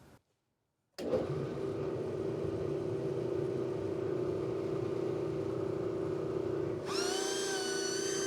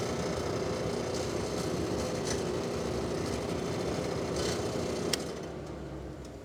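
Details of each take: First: Industrial dust collector blower restored with new 3D-printed fan impeller with more blades, curved: steady hum with constant mid tone, briefly joined by whistling air rush, no rubbing or wobble; big improvement, running normally. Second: 3D-printed replacement impeller with larger, thicker redesigned central hub on an industrial dust collector blower: steady loud fan roar, constant hum, faint pulsing about four per second; owner says something is definitely wrong, about 74 on the meter; vibration, cause unconfirmed.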